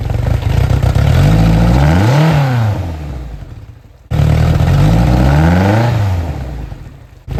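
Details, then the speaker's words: 2007 Suzuki 175 outboard, 700 hours, test-run before purchase: revs up from low idle, climbs and falls back twice; slight hiccup on first throttle tip-in, cause unknown. "Sounds pretty good to me. It's got a little hiccup when you first hit the throttle. I don't know what that is, but I'm sure we'll figure it out."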